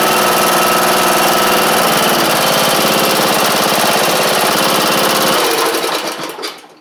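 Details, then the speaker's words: John Deere E100 lawn tractor, Briggs & Stratton single: hard, busy clatter about three pulses a second over a buzzy drone before it dies, after an oil-leak repair. "So, you know, in the last clip when I said I didn't really like the way that it sounded when it was running. Well, not too long after that, the connecting rod broke on it."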